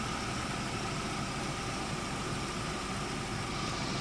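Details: BMW E36 petrol six idling steadily and evenly after PCV repair, vacuum-leak checks, cleaned idle control valve, and sealing of the cracked variable intake runner diaphragm, which was left disconnected; no hunting, stumbling or hissing air leak.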